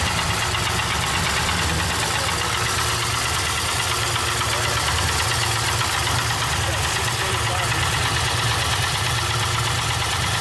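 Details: Pontiac Trans Am petrol engine at idle: rapid, regular knock running under a hissy background.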